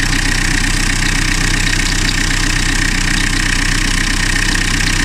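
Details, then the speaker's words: Diesel car whose engine was rebuilt 2-3 years ago (head and pistons replaced after overheating) idles with a high, bird-like chirp about three times a second from a worn V-belt; fix is replacing the V-belt only. "Ya o motordan gelen garip ses V kayış sesi arkadaşlar. O yüzden babam dedi hani bu arabada bir ses var, ötme var."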